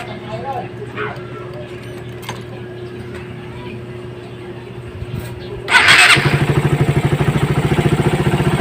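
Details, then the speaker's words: Raider 150 motorcycle after timing chain replacement, start-up: engine catches and settles into even beat; former timing chain ticking noise is gone, repair successful. "So success tayo mga idol, nawala yung lagitik niya, yung ingay."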